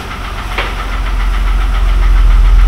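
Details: Mercedes W126 with an unexplained engine knock; owner says it misfires and suspects something came loose, planning valve adjustment; light, even knock through the idle as revs creep up; camshaft bearing knock.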